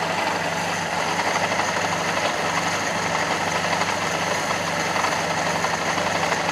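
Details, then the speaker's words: Fiat Panda 4x4 Sisley, warm idle after carburetor clean: lumpy, uneven beat unchanged by idle mixture screw, strong fuel smell; caused by jammed float giving too high a float-bowl fuel level. "But, yeah, probably made the mistake of playing with the idle mixture screw. I've had it in every position imaginable, and it still runs just as lumpy."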